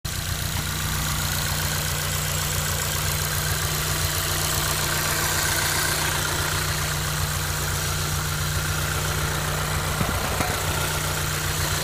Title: Ticking noise (engine bay)